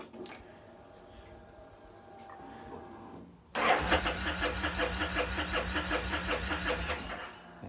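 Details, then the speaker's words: Kawasaki Vulcan Nomad 1600 on a weak battery, new one ordered: the starter turns the engine over at a steady rhythm of about three beats a second but it never fires. Owner suspects too little voltage reaching the ECU; unconfirmed. "sounds like it's turning over fine but these things are very picky I'm having enough voltage to us into the ECU to start to me that just sounds like it should be enough but it's not"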